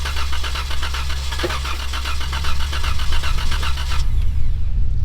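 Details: Decommissioned police car with blown engine, many stored codes, after replacing a missing fuse: steady starter cranking with even churn and occasional faint catch, never fires; cam position sensor suspected, not confirmed.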